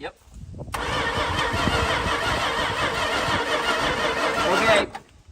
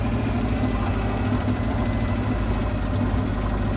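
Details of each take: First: Barn-find 1968 Plymouth Fury, 318 with one-barrel carburetor, not run in over 20 years: starter cranks steadily about four seconds at an even chug, never catches; no spark, coil suspected. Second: 1968 Plymouth Fury barn find with a 318 V8 and one-barrel carburetor, not run in over 20 years: steady, even V8 idle with a smooth low rumble and no stumble or miss.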